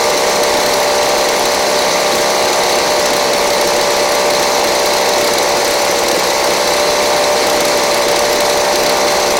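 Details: Craftsman 29cc two-stroke blower, previously missing its spark plug and fuel, running on a Chinese aftermarket carb-kit plug: steady high-pitched buzz at constant speed with no misses or surging; runs cleanly and evenly.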